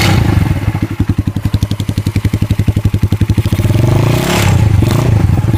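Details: Kikker 200cc single at 146 miles, bought not running, tank and carburettor cleaned: rapid metallic rattle, about four clatters a second, over the engine beat, blurring as it revs; source not found.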